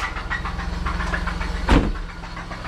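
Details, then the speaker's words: 1999 Chevrolet Camaro awaiting an LS swap, original engine started up: rough idle with a steady rapid tapping over the low rumble and a brief clunk partway through; engine knocking, kept only to move the car around. "knocking knocking on heaven's door baby"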